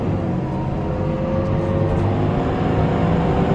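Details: Ford 6.7 Powerstroke diesel truck, 56,000 miles, fan staying engaged especially on the interstate: steady loud roar of air over the diesel's drone that never eases; viscous fan clutch stuck engaged.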